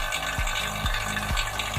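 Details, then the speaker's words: Vacuum pump evacuating a Sharp single-door refrigerator (not cooling) via manifold low-pressure valve, about 10–15 minutes, before refilling with freon: even hum with a regular swish about twice a second, holding steady; normal, stable sound means air is removed. "ininya vakumnya itu stabil. Kalau suaranya sudah stabil berarti udara yang ada pada sistem pendingin sudah terkuras habis."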